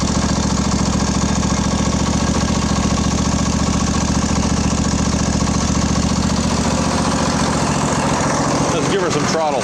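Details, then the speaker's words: Craftsman LT1000 20hp riding mower, after carburetor repair, fuel solenoid now working, carb primed, new plugs: small engine running steady and even at fast idle, no stumbling or surging; normal running. "i like it i like it a lot"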